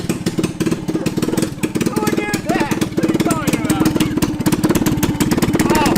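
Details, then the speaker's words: Cheap mini Jeep with swapped-in racing engine, first start, choke just off, baffle removed and catalytic converter missing: rapid loud unmuffled popping exhaust at fast idle; pretty bad vacuum leak suspected at the intake adapter, no silicone used. "All right, it sounds like choking's come off. Yeah, we have a pretty bad vacuum leak."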